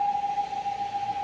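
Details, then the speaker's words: 2023/24 Fiat Cronos automatic, 53,000 km, wheels in the air and spinning: in drive a constant, very loud, deafening mid-pitched whine holds steady; transmission noise, cause suspected, not confirmed. "quando você chega na frente ali ele está ensurdecedor olha só eu acredito que tá dando para vocês notarem ouvirem o barulho muito forte o barulho"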